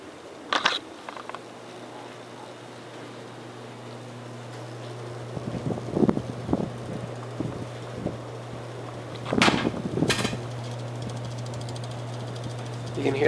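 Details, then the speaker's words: Worn Hampton Bay 52" ceiling fan running on high, with a steady, loud low motor hum that reverberates upstairs; the light fixture usually vibrates too. Motor hum from a worn fan. "pronounced hum and it reverberates upstairs too"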